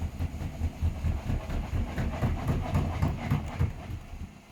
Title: Hotpoint Smart Tech Very Unbalanced spin (Making strange noises)